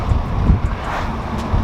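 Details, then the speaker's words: Toyota A90 Supra, windows down around 60 mph, out of sport mode, after fitting AMS carbon fiber wind buffeting deflectors: only a smooth low road and wind rush with no throbbing pulse; buffeting gone. "the sound's gone completely gone so 10 out of 10 the ams win bucket and carbon fiber work like a champion"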